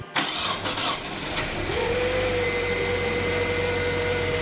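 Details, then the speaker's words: Kia Spectra engine first start after cylinder head replacement: short crank, catches quickly, settles into smooth steady idle with no knocks or misses; running like it should, normal start and idle. "Sounds like it's running like it should."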